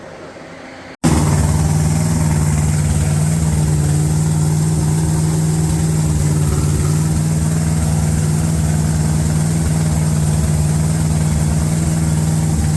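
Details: 350 V8 being broken in on a Larin engine run stand: steady, even idle with a deep low rumble and no knocks, misses or surges; normal idle.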